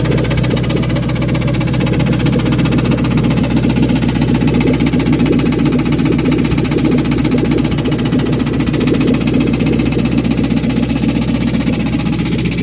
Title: ROD KNOCK,LIFTER? TIMING CHAIN????